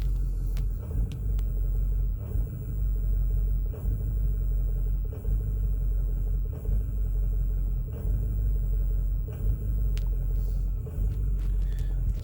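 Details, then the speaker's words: 2008 Ford F450, 6.4 Power Stroke diesel, intermittent crank/no-start and no throttle response, fuel filters already replaced, happens cold or hot: low idle that stumbles every second or two with no throttle input; rough surging idle, cause unknown, wiring wiggle no effect. "oh now we're stumbling again i'm not touching the accelerator that's just doing that on its own"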